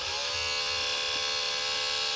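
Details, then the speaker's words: DVD player with disc stuck and tray not opening, at switch-on: steady high buzzing whine as the motor spins without moving the tray, indicating the tray drive belt is damaged or cut. "this noise shows that you can't let me clarify that the drive belt that is the player drive belt is damaged or his cut"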